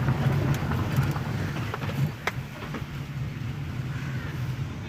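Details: Hyundai Verna petrol engine idling steady and smooth after all four spark plugs were replaced and the throttle body cleaned; earlier knocking and rpm fluctuation are gone.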